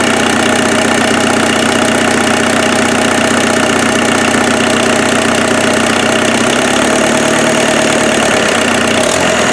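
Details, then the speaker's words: Offroad Mazda truck's freshened replacement turbo diesel idling with cold-start advance disengaged: steady, even idle with no misses, knocks or hunting. No smoke, smoother than the earlier problem engine; normal. "there was definitely a problem with that other engine it'll sit here and idle all day"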